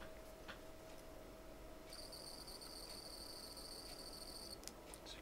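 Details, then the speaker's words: Mercedes SL600 passenger-side throttle body motor spun on the bench: thin, high, slightly rough whine with slight vibration, slower than the replacement motor; noise only when spinning forward, reverse is okay; worn motor front bearing. "hear the motor spin making a noise in there it's the front bearing and notice the speed it's a little slower there's a little vibration in there too"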